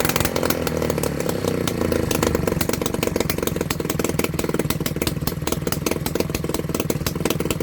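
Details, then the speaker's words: 1985 Piaggio Ciao PX two-stroke moped engine under restoration, started without choke in a 17°C garage. Very loud, raw, rapid popping, firing evenly and steadily. Running open with no exhaust fitted. "Bah écoutez, vous avez vu, ça fait un bruit de fou hein"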